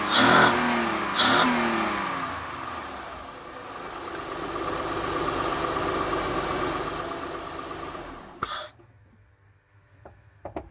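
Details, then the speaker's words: 2006 Honda Ridgeline after installing a new throttle body sensor, air cleaner removed; two quick blips sweep up and back down, then smooth even idle until shutdown, normal start and rev. "Okay, that sounded very good."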